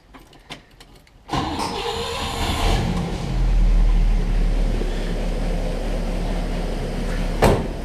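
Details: 1960 Pontiac barn-find, low miles, started after Pertronix electronic ignition and Flame Thrower coil replaced points, before timing set: a few clicks, catches at once and settles into an even, steady idle rumble with no misses; normal start and idle.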